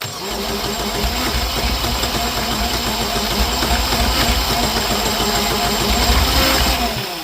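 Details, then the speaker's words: Universal M25XP marine diesel from a Catalina 36, untested scrapyard engine on a test stand: runs rough and uneven with lumpy firing under clatter; cylinders 1 and 2 getting no fuel, pump issue suspected. "Number 1 and 2 aren't getting anything. Yeah. There's an issue with the pump."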